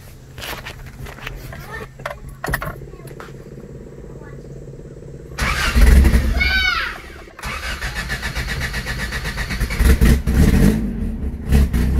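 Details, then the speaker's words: Old car at first start after new sound deadening was fitted: cranks, catches, then runs loud and raspy with an uneven puffing tick over the idle from a big exhaust manifold leak; tightening the manifold bolts didn't fix it. "The engine is much louder right now than it used to be because I've got a pretty big exhaust leak coming from my exhaust manifold."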